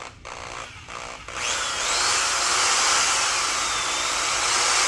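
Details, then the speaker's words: Old variable-speed Milwaukee Magnum corded drill of unknown age, restored, plug-in test: a few short trigger blips then a steady high whir, even pitch, no grinding or rattle; motor and gears sound healthy. "it sounds pretty okay i thought it sounded terrible i was like okay i can understand that"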